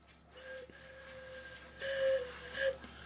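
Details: Swiss-style German clock whistle box before repair: thin, faint, breathy whistle that barely carries. It seems blocked at the reed; debris on the reed is found.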